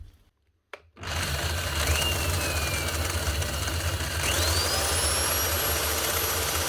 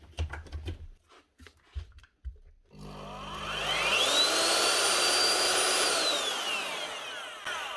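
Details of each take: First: Cement-encrusted Bosch GRW 12 E mixing drill with a loose whisk: the motor runs rough and gravelly, with a wavering whine over a coarse low rumble, from worn, failed bearings. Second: Bosch GRW 12 E mixing drill after replacing bad bearings and cleaning off cement, brushes about half worn: spins up to a smooth, even whine, holds steady and winds down cleanly; bearings healthy.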